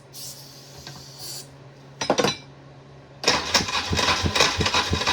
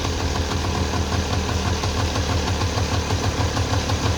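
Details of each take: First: 1994 Polaris two-stroke 4x4 quad, long-sitting, boosted by a partly charged pack, pull starter broken; starter churns unevenly about three turns a second and never catches, apparently flat battery. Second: 1994 Polaris two-stroke 4x4 quad, long sitting, idling after battery charge and starting fluid; brisk even chatter holding steady without stumbling, quite smoky; running fine, just needed the battery charged.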